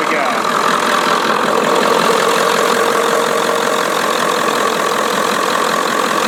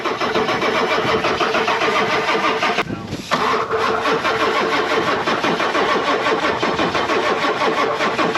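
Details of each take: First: 1996/97 Ford F-250 7.3 Powerstroke with veggie-oil conversion, sat 10 years, just started and warming up after ether: steady, even diesel clatter with no misses or surges; normal idle. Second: 1996 Ford F-250 7.3 Powerstroke with a veggie-oil conversion, sitting 10 years, primed with ether, glow plugs on: long steady cranking with a brief pause that never fires; no fuel delivery, and the owner suspects the injectors or crank position sensor.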